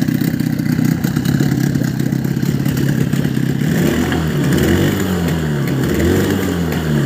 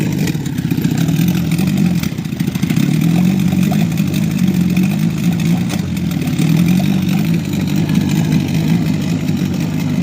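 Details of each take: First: Small outboard motor after fixing a fuel-system air leak (sealed filter threads, flipped the reed plate) that caused sputtering; it runs with a steady even beat, rising and falling slightly with throttle. Normal running. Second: Small outboard boat motor sputtering: low uneven burble that wavers and stumbles as if fuel-starved; owner suspects an air leak at the fuel filter fittings, where petrol sprayed when squeezing the primer bulb; cause unconfirmed.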